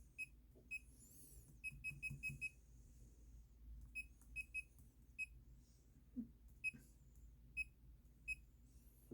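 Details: Bluetooth laser projection keyboard typing in Notepad with its projection light switched off by the function key: short, high, clean beeps in quick irregular bursts, one per keystroke, in a quiet room. Key feedback is working normally.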